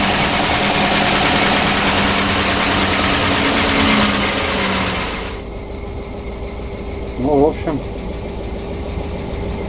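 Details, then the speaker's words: PAZ-672 bus GAZ V8 idling after valve adjustment with valve covers fitted: calm even idle, steady hum, no knocking or tapping; earlier valvetrain knock gone, normal idle. "Вполне плавный и равномерный. Такого стука, как был, я не слышу."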